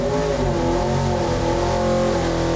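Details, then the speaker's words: Built 1977 Ford Granada stroked 347ci small-block Ford, AFR Renegade 205 heads, Jesel 1.6 shaft rockers, Edelbrock Victor Jr. single-plane intake, on dyno near 7,100 rpm peak: loud clean steady high-rev roar, no knocks; normal. "that sounds like a real engine right there."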